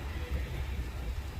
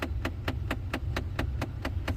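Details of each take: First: 2009–2014 Ford F150 after replacing the passenger-side blend door actuator, vent mode, temperature swept 60 to 90°: steady engine rumble in the cab with no popping or clicking; quiet actuator, though a pop may occur on cold start. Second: 2009–2014 Ford F150 with sharp, evenly spaced clicks about four times a second from behind the dash, over a low engine hum. The cause is a failing blend door actuator, usually passenger side, behind the pillar and reachable through the glove box.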